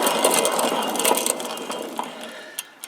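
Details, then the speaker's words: Cub Cadet LT1045 mower deck flipped over, center spindle spun by hand: dry, scratchy ticking about three times a second that fades as it coasts down. Worn spindle bearing; spindle to be replaced, unlike the quiet good outer spindles. "okay this spindle is one that's bad and listen to it as I spin it"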